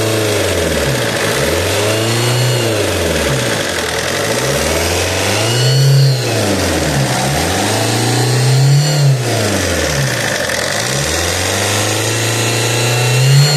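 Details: Alfa Romeo GT 1.9 JTD revving up and down: rising and falling whirring tone following engine speed near the common-rail pump, appeared after turbo replacement and grows louder each km; exhaust manifold leak ruled out.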